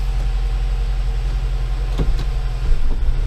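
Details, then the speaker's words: Nissan Livina towed in after its automatic transmission stopped driving, gearbox refitted, first start: a steady idle, then sharp thumps as it drops into drive, and it does drive, with a hard driveline clunk on engagement: harsh transmission engagement clunk. "Eita! É, tracionar, tracionou, porque tá dando uma pancada arrumada."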